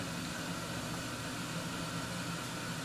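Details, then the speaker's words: 1974 HydroTherm gas-fired hydronic boiler, burner relighting after the hydrostat cycle: steady even burner roar with a low hum underneath, no pops or surging; a pipe reads about 55 C; firing normally. "It's running. It's doing its thing."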